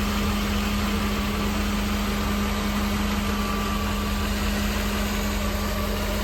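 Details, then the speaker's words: 1988 Mercedes-Benz 560 SL V8, 51,705 miles, warm evening in the 80s, heard outside near the engine and exhaust shortly after a cold start. Smooth, even idle with a steady low hum, no knocks or misses, fuel pump audible; normal idle. "So we're gonna go ahead, go back outside, listen to the engine purr, listen to the exhaust."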